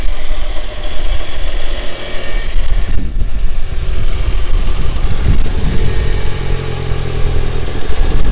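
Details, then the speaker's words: Audi A3 1.8T, 180,000 miles, engine management light on, drove 100 miles fine, at idle. The idle swells and dips unevenly with a brief stumble: it runs rough now and again. Owner suspects induction or circulation, not confirmed. "but i don't know it just seems to be running rough now and again i'm not sure why it could be to do with the induction if you can hear that"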